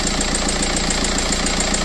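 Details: TDI diesel donor engine, still in the car before a Tacoma swap, idling with steady, evenly spaced clatter and no misses or extra knocks. Its vacuum pump pulls about 28–29 inHg; healthy.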